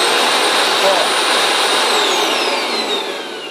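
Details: Electrolux vacuum cleaner that would not switch on, fault traced to the on/off switch not holding; with the switch poles bridged, steady high-pitched motor whine, smooth with no rattle, sagging as it spins down; motor runs healthy.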